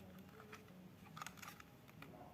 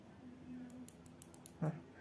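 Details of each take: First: Unitex computer mouse after its noisy buttons were replaced with silent switches: only a few soft, muffled clicks in a quiet room, no sharp snap. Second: Stock Unitex mouse, opened up, giving six sharp, loud, crisp high clicks in about a second; its noisy switches are to be replaced with silent switches.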